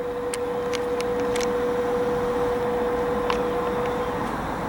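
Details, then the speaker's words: Power-vent water heater on a middle-floor unit, fitted in place of the original fanless 38,000 BTU direct vent; constant mid-pitched drone with airy rush, heard from about 15 feet away, slightly louder than conversation (about 74 dBA); loud power vent fan. "this was uh replaced with a power vent which is a rather noisy power vent as you can see in here you know it's about a little bit louder than conversation level and i'm down maybe about 15 feet away from it"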